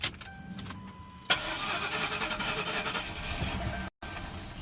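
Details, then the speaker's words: 2006 Mercury Grand Marquis that cut off and wouldn't start despite a new battery and over half a tank: with starter fluid sprayed in, a short crank then the engine catches and runs, confirming a failed fuel pump. "Yep, that fuel pump back."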